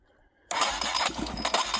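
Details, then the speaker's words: Junkyard Yamaha Warrior 350 single-cylinder engine, fuel poured down the cylinder: after silence it catches and pops raggedly on the primed charge, firing briefly but not yet running on its own fuel supply. "Ooh. So that was promising. So yeah, it did fire off. So it should run once we get some fuel in it."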